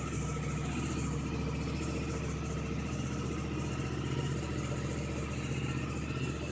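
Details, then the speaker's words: 2009 Yamaha R1 after starter relay replacement for error code 12, very cold and sat a while, started with starter fluid: fires and holds a smooth, steady idle with an even low burble, no stumbling. "Fingers crossed. I hope this works. That sounded different. Yep, it worked."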